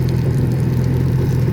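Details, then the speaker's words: 2004 Honda F-12X turbo jet ski, about 210 hours, after jet pump rebuild for clanging at the back, run out of water: smooth steady quiet hum at revs, no clanging; ladder rattle heard. Normal revving. "Wow. Listen to how nice that sounds. Real quiet. That's my ladder rattling."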